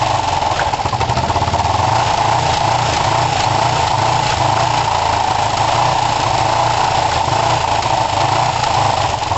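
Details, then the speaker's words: Kawasaki ER5 twin, warming up after carb float height work, with good spark and new coils: an uneven idle with spits and pops back through the intake, yet the closest it has come to running well. Half throttle is poor; the owner suspects the carbs. "yeah I mean you can hear some oh some back spitting and some popping and so it's not overly comfortable but that is the closest I've had it to running well which is interesting"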